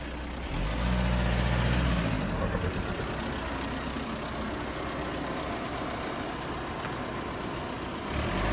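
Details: Audi A6 2.0 TDI 170 hp diesel at idle: low steady rumble with a loose, uneven tapping about four times a second; unidentified noise, source unclear.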